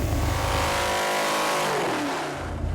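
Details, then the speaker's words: Cadillac 500 big block dyno pull on break-in oil, reaching 591 hp and 583 lb-ft. Loud, clean climbing pull then easing off, no knock, miss or rattle. Normal full-throttle run. "it's liking it it is liking it for sure"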